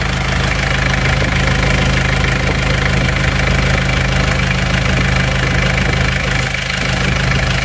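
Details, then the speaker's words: Isuzu Panther diesel after a new clutch plate (about 5 million rupiah), temperature stable after the drive back: a steady, even idle with its light clatter and no misses or hunting; the engine sounds smoother and more stable. "temperatur tetap stabil segini suara mesin juga semakin halus Yuk kita cek lagi suara mesinnya semakin stabil"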